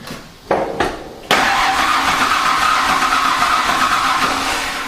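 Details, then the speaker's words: Mazda/Ford Ranger after engine swap, first turnover to prime the oil pump: starter clicks then steady whirring crank for several seconds, engine spins freely without firing; normal cranking. "she definitely turns yep do a couple more times to get the oil pump through her"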